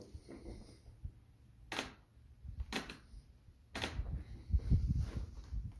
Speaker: the resin bond between the tail plane fitting and tapping fitting bolts on the back of the tailplane spa has actually broken so it makes a big creaking sound when you flex it from the tip